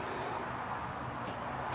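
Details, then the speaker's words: 1979 Triumph Bonneville T140D Special, key on, after fitting a new turn signal relay: quiet light ticks at an even steady flasher rate over faint hum; turn signals now flashing normally. "now I have blinkers. There you go."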